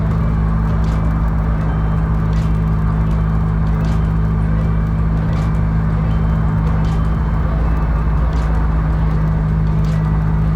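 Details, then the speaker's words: 1982 Grand Prix with turbocharged, cammed 3800 V6, T56 Magnum and Holley EFI on a 1500-mile trip: loud deep drone under way rising with throttle, raw blowing edge from a leaking exhaust pipe; driver avoiding boost. "Yeah, it is getting so loud. It is kind of ridiculous. So I won't build any more boost. I won't put pressure in that pipe anymore."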